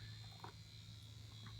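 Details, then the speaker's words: E-Flite Convergence RC plane: steady low electric buzz with faint brief chirps as a servo chatters when stabilization is repeatedly switched on and off; right aileron and nacelle twitch. "and you can hear the servo chatter so stability on stability off stability on stability off stability oh there it goes again"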